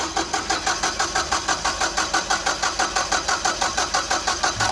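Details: Caterpillar forklift with basic EMCO fuel system and a hard-start complaint (customer pumps the pedal to start): even starter cranking about three pulses a second for five seconds, never fires; cranks but won't start.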